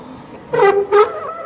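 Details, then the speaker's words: E-bike brakes squealing: two sharp tonal squeals, each about a third of a second, as the brakes bite; brakes work hard but stay noisy despite cleaning; owner says pads and metal parts vibrate, suspects the way the brakes are fitted. "break like hell, but also make a lot of noise doing it. I've tried cleaning them, I've tried everything, and it still seems to be doing it."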